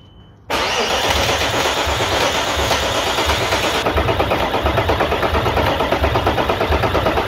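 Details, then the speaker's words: 1998 Audi A4 2.5 TDI (AFB) diesel after timing belt and water pump change: steady starter churn with even compression pulses about three a second, never catching; no start due to an injection pump fault (advance wire burned). "bueno habéis visto antes el coche medio arrancar vale No arrancaba porque he tenido un problema con la bomba inyectora"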